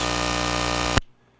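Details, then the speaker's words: Wireless lav mic on a fast charger: a loud, harsh electrical buzz fills the mic signal, fast-charging interference that cannot be heard through headphones or the monitor, then cuts out abruptly to near silence when the charger is removed. "You will get that buzzing and you will not hear it through your headphones. It will not translate through your monitor. So there is fast charging. You will hear a buzzing noise."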